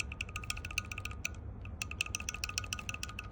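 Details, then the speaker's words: Toyota Land Cruiser LC200 AC blower motor: light, uneven metallic clicking as a loose plastic part with play is moved. Fix is pushing the silver pin down onto the plastic. "you hear that one? This one is loose."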